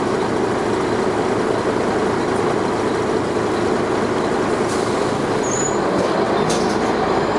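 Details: Dennis Arrow bus with ZF gearbox, recorded under acceleration: loud, steady, coarse diesel clatter and roar holds evenly under load. The bus also grinds in second gear; diesel engine thrash under acceleration.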